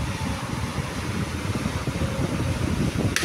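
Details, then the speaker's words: Repaired National desk fan that previously would not run, cleaned and tested on speed one: steady soft rush of air over an even low hum, no rattle or wobble. "Speed dua. Mantaplah angin dia kuat. Oh. Tu tu dia hidup. Boleh pusing kiri kanan."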